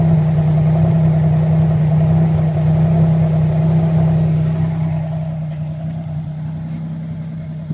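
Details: GM L67 engine in a Pontiac Fiero: fast, steady high idle with a deep drone and faint unevenness underneath; misfire with high idle.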